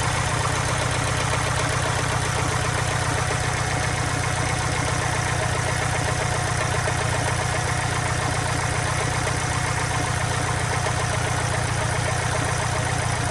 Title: 202507,Impreza STI idle test, piston slap issue?